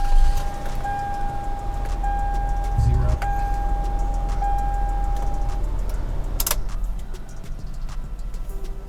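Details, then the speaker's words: Toyota Avalon with 149,000 miles idling: low, even engine rumble with no misses or knocks under a steady interior chime; the engine idles smoothly. "It's a little stuff, but then listen to how it runs. This thing is smooth."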